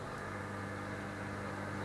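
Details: Bosch Slimline Classixx dishwasher starting a cycle: low, steady motor hum with a soft rush of water and no rattles or grinding; normal start-up and fill.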